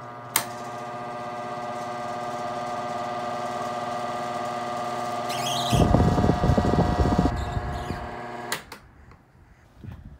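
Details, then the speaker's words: Mid-to-late 1980s Sears-rebadged Lasko 2150 12-inch desk fan, before repair, on high without oscillation for 2–3 seconds: loud motor hum with rough buzzing rattle, all stopping at switch-off; owner suspects motor or bearings. "So, I'm only going to run it for like 2 to 3 seconds because it gets pretty loud."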